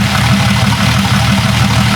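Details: Jeep 5.0 stroker build idling during cam break-in: steady, even, low idle with a smooth pulse and no valvetrain tick. Sounds healthy.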